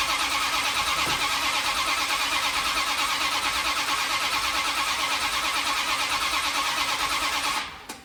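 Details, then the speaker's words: 1972 Dodge D100 with a new solid roller cam and Speedmaster heads, sparking at the plugs: even cranking at about three pulses a second for eight seconds, never catching; the distributor is found off at number one, to be re-clocked. "Can't be that bad off the timing. Sparking out the plugs. Just before top dead center. My number one is right here. Oh, Shazam. Yeah, it's a little off here, bud."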